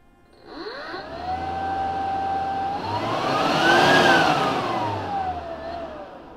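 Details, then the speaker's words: GreenWorks 40V blower/vac warranty replacement, run at full speed after troubleshooting: steady airy whine climbs to higher pitch, holds smoothly, winds down with no rattle; blower healthy. "so that's working let's put this all the way on lure so you can hear it"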